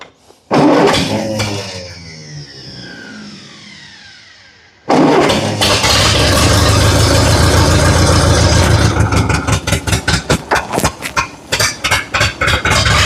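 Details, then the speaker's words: Massey Ferguson TO30 tractor, about 70 years old, revived after sitting, trying to work the three-point hydraulics: cranks, catches, then runs unevenly with stumbling, surging pulses. Owner suspects a fueling issue. "let's try it again see if I can't get the three-point working sounds like we got a fueling issue"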